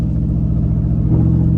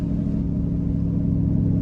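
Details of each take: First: GM 5.3L V8 (2011 GMC Sierra / 2012 Chevy Tahoe), driving slowly on small roads. Choppy, lumpy rumble in AFM V4 mode suddenly fills out and smooths as it switches back to V8. Owner finds the constant switching annoying. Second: GM 5.3L V8 (2011 GMC Sierra / 2012 Chevy Tahoe), right after plugging in an $85 OBD2 AFM/DFM disabler while driving. Deep, even rumble at light throttle with an unbroken beat, staying in V8 on all eight cylinders.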